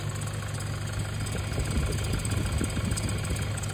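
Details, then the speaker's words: 2011 Toyota Hilux KUN26R, 1KD diesel, manual, 130 A alternator, at idle before repair; rough low rumble with a constant high whirring whine over it from the alternator; battery warning light on; worn alternator bearing. "Alternator, possible alternator for that one, but we're gonna double check that one also. But I will try to listen to the noise. See, there's a noise."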